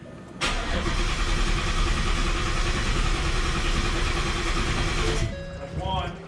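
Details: Vehicle being flashed with a new tune after fuel controller install: about five seconds of steady starter churning with no catch, then it drops off; engine cranks but does not start.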